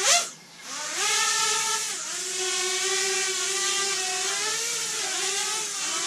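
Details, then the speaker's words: Freshly built, painted Racer X ET5 FPV quad on 4S during its first hover test. A high, smooth whine from all four motors holds a steady pitch with gentle rises and dips, with no roughness. Motors are healthy and not hot afterwards. "yeah yeah it's it's fine pretty smooth sounds great"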